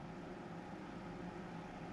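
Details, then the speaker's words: Tektronix type 127 preamplifier power supply under repair, with the +100 V rail reading 113 V: steady rough buzz with a faint low hum, an abnormal noise; cause not yet found. "Uh-oh, that doesn't sound good. Something's making a funny noise. Should I worry about that? Maybe not."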